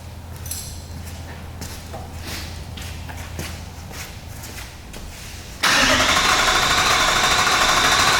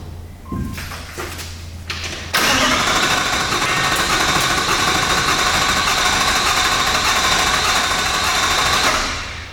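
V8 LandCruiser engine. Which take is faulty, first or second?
second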